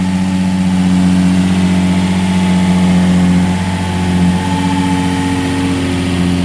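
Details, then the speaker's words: 2005 Infiniti G35 Coupe Rev Up, jump-started after sitting about a year, with service engine, low fuel and rev lights on: smooth steady hum whose pitch rises and falls cleanly with the throttle, no knocks or rattles; sounds healthy. "let's go check it out see what it sounds like sounds good for not driving for about a year"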